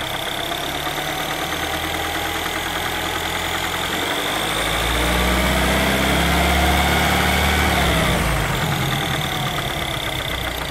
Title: R56 timing chain noise after replacement